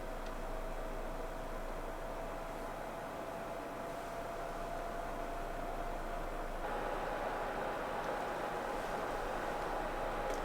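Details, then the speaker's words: PlayStation 4 Pro in the Call of Duty Warzone lobby: steady whirring climbs to a higher, louder pitch as the cooling fan speeds up hard; loud cooling fan. "all right i don't know if you guys can hear that but the fan is picking up now on this ps4 pro see it does this whenever i'm in the lobby of war zone the fan is just it kicks up really high"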